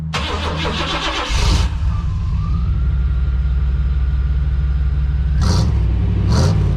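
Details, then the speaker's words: 1991 Chevrolet Silverado OBS small block V8 with 399k miles, during tune-up: quick start, deep loud steady burble with two clean throttle blips; normal idle, plugs and wires still due. "Yeah, dude, that sounds all right. Little small block action."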